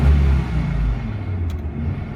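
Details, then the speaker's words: Old V10 truck, owner suspects a fuel-line check valve bleeding pressure back to the tank and possibly a faulty idle solenoid; after starting and idling low it now revs up and settles into an even, steady, healthy deep rumble. "So anyways, boy, this V10, she runs cool, this old girl."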